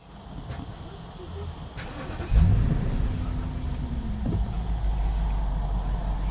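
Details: BMW 750Li started cold; the large petrol engine fires up and settles straight into an even, smooth idle. The car later runs rough, misfires and hunts when restarted or once warm at about 50°C as VANOS takes over.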